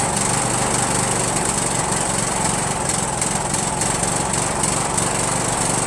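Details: Rebuilt spare Briggs 17.5HP engine (two broken synchro balancer counterweight links replaced) repowering a Yard Machines lawn tractor, first start on choke with no belt on the pulley. Ragged, uneven firing with occasional pops; owner suspects the carburetor.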